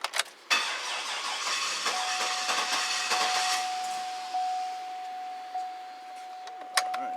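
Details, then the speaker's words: 2008 Cadillac Escalade 6.2 L V8 after rebuild, with high crankcase pressure and odd compression on cylinder 8: long crank before catching, then uneven rough idle with a thin steady whistle; cause not confirmed. "so that's a hard start [Applause] it's running rough right now"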